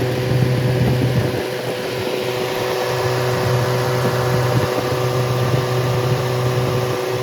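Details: Rebuilt Triumph Spitfire 1500 four-cylinder engine (FM125586UE), crank turned, compression 190–210 psi, oil pressure 80 psi cold, ≥47 psi hot. It runs loud and unmuffled with a steady low drone and light fuel pump ticking. Normal healthy running.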